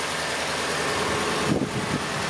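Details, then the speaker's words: 2017 Dodge Ram 1500 5.7 L after serpentine belt and pulley replacement (start-up squeak complaint): steady even idle, no squeak or chirp from belt area; normal idle. "Let's start the car and let's see how it goes. Right. Start the car. Perfect. perfectly alive."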